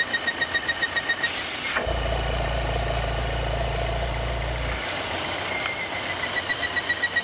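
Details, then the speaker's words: 2016 Volvo XC90 with lean code P0171: loud thin steady whistle/whine over the idle that disappears when the oil cap is lifted and returns; failing PCV oil trap/breather, to be replaced. "where it looks like it's gonna actually make noise force you should be able to hear the chirping maybe even like to confuse an accessory or belt noise but when we pull the oil cap you'll notice that it will go away"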